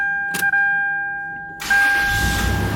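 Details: 1999 Toyota 4Runner SR5 4WD, key turned: one faint, weak starter click with no cranking and a steady chime tone behind it; intermittent starter no-crank click.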